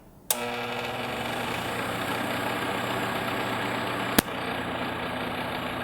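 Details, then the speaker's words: Honeywell TurboForce HT900WMD fan before repair: steady motor hum with rattly clattering edge, caused by dust in the motor spindle bearing guides and lack of lubrication; fix is disassembly, cleaning and oiling; fan motor clattering. "As you can hear, there's a lot of kind of clattering noise going on there. All right, I don't wanna run it too long like that because I know it's a lubrication issue."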